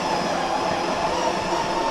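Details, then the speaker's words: Ninja ES601 coffee machine's built-in grinder grinding beans for an espresso to be made into a latte. A loud, harsh whirring grind with a steady high whine, even from start to finish. Normal grinding operation. "Hey, now then, listen at that. Sounds like back wheel on a GPZ. Holy heck."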